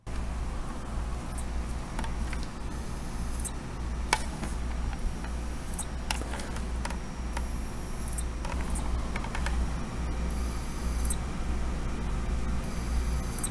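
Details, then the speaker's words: External WD hard drive: scattered sharp ticks at uneven gaps over a low hum, the drive repeatedly power-cycling and not fully powering on, unlike a typical read-clicking failure; mechanical fault suspected, not confirmed. "A typical clicky noise is more a little bit more consistent while it's especially trying to read data or you'll hear it maybe click a few times and shut off. This one is trying to power on and then it seems like it it kind of power cycles over and over again."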